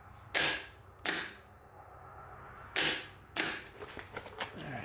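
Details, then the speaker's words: Old GM starter from a 1990 Chevy Camaro small-block 350 (Vortec heads, Holley Sniper EFI), bench-tested off the engine: four short sharp clacks with quick spin-downs as the pinion gear throws out; normal starter engagement. "usually what happens is that gear is going to fly out engage the the flywheel on the engine and then it's just going to crank over"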